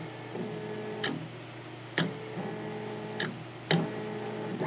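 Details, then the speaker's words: Repaired Keling KL8060 stepper driver, previously over-volted, with a working enable circuit: steady motor whine cuts out and returns about once a second as the button is pressed and released, each switch with a sharp click; stops and restarts cleanly. "sure you can hear over the video that it is working so that is what happens when you have a working enable circuit"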